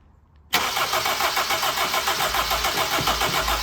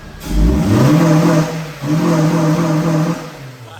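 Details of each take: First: Mk1 Honda CR-V that had sat a while, after cleaning the calcium-crusted distributor and burnt rotor arm: starter cranks steadily at three or four beats a second but never fires, no spark; power reaches the coil, cap and rotor to be replaced. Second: MK1 Honda CR-V with new distributor cap and rotor arm, multipoint fuel injection: two clean blips, pitch rising smoothly and falling back to a steady idle without misses or knocks; sewing-machine smooth, normal revving.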